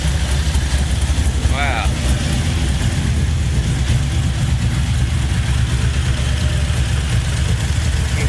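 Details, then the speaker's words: LS V8 in a C10 after new lifters, head gaskets and reinstalled heads: steady, even low rumble with no tapping or ticking, idling smoothly; the loud lifter tapping is gone, oil pressure about 50. "there she goes she finally started sounds so much better i can't even hear it"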